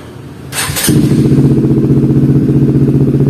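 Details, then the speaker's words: Honda CBR150 fuel-injected motorcycle after throttle body and injector cleaning, which had stalled and needed about five tries to restart: short starter whirr, catches at once, steady even idle about four beats a second; normal idle. "Oke, langsung menyala, boom. Kedengarannya bagus."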